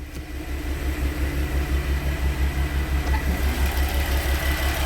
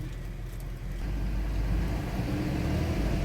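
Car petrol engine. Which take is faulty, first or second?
second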